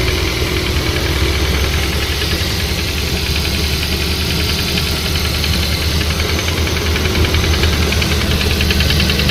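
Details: Cold-morning idle of a Nissan CR14DE petrol engine: quick, steady knock of about three beats a second, judged to be the VVT-i phaser clutch; owner notes the sounds disappear when the belt tensioner is released.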